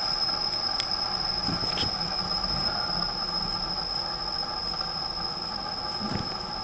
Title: Garrett gt2871r Ball Bearing Spooling after engine off (sound from Intake)